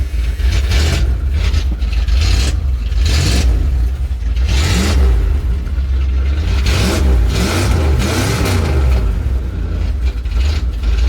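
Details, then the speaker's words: 1981 Dodge Ram D250 5.9L V8, cold, after new motor mounts were installed and torqued: deep steady idle with several clean throttle blips rising and falling smoothly, no knocks. Vibrations far less than before; normal idle and revving. "Yeah, the vibrations aren't near as bad as they were. This is so much better. Like a new truck."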